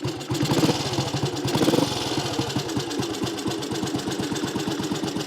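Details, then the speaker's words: Small classic Tiger Cub single, cold, still bedding in after work, restarted. Crisp thump at a slightly uneven cold-idle pace with no clatter or knock; sounds good; normal idle. "but they're a small bike but they do sound good"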